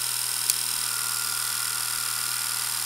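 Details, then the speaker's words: Delco CS alternator (built-in regulator, 14.5–15V, 75–105A) bench-driven by 120V induction motor, wired to old battery: steady hum with high whine, no grinding; switched on it charges normally, battery reads 14.5 volts. "now you can hear the difference between when it was off and on so we'll check the voltage in the battery now see 14.5 volts almost like it's working just like it would be in the car"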